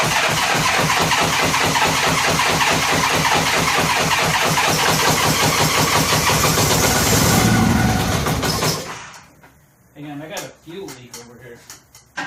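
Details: 1983 Honda GL1100 Aspencade after carburetor rebuild, throttle and choke cables not connected, cranked to draw fuel into the carbs; quick, even chuff for about nine seconds without firing; cranking, no start.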